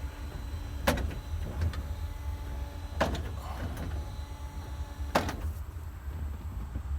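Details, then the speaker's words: 1950 Chevy with a new electric wiper motor replacing the vacuum unit, running on low: a steady hum with a light clack about every two seconds at each stroke end. It sweeps full stroke normally with no binding; the arm positions still need adjusting. "so now it's not binding up and we're running at low speed full"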